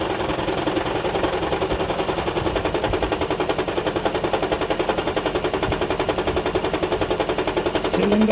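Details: Toyota Estima Hybrid 2AZ-FXE 2.4L, Japanese import, shaking badly after an oil top-up of about 4.5 litres and a long drive; uneven, lumpy, stumbling chuffing idle, random multi-cylinder misfire, banging noise unchanged after coil swaps and cleaner.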